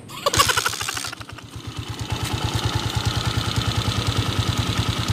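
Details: 2010 TMX155 motorcycle engine at idle in neutral: steady lumpy idle with a sharp even tick on every beat, very noisy top end, cause not yet pinned down; engine ticking at idle.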